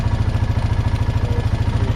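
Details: 2009 Honda Rubicon TRX500 (T500) ATV with battery-drain complaint, idling in neutral after the battery was fully charged: low, even thump of about fourteen beats a second with steady loudness and no knocks or misses; healthy idle.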